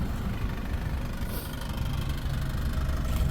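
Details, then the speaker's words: 2019 Ford Edge SEL, 2.0L EcoBoost turbo four-cylinder with 8-speed automatic, during a pre-purchase inspection: a low rumbling idle with a loose, irregular buzzing rattle underneath. An exhaust rattle is heard again. "You could hear that exhaust rattle again has a capless fuel."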